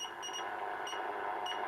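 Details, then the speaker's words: 1930 tube radio during IF alignment to 440 kHz, AM generator test signal lowered to 5 microvolts on the antenna input; faint steady clean tone still heard above soft hiss, so receiver sensitivity is normal. "donc je suis sur 5 microv voilà c'est c'est un petit peu fort mais ça va"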